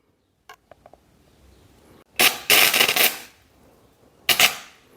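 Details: Homemade gasless MIG welder powered by two 7 Ah motorcycle batteries in series (about 26 V): a sharp frying crackle for about a second, then a shorter burst, laying a short bead on the tacked piece; normal welding.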